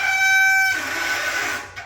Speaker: here's an example of my front brake which is squeaky and it has like no power behind it